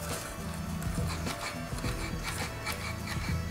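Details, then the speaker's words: Specialized Transition tri bike with hard-to-squeeze cable brake lever: moving the caliper arm pushes cable through housing, dry scratchy rasping; caliper itself moves freely, resistance likely in cable and housing, replacement suggested. "That actually sounds pretty bad. It's actually moving the cable, so it's pushing the cable through, so it could be whatever resistance is in the cable and the housing."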